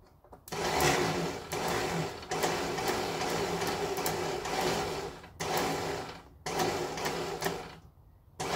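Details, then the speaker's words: 1968 Datsun 1000 shed find, starter in the car; the solenoid was tapped with a ratchet handle to try to free it. Repeated fast high whirring with no engine turnover as the starter spins without engaging. Owner suspects worn ring-gear teeth; not confirmed. "doesn't want to engage now does it okay so there could be worn teeth on the um ring gear might not be engaging"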